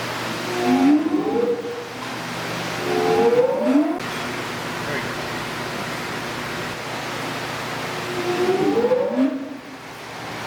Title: Weird noise in a gear pump